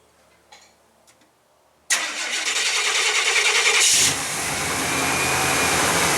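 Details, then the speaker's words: 1991 GMC Jimmy cold start on a chilly day (about 55°F), not run for a week: short crank then uneven lumpy idle with hissy top end; rough idle, vacuum leak suspected but unconfirmed. "we're gonna crank it up let it idle for a little bit you guys are gonna hear the the rough idle"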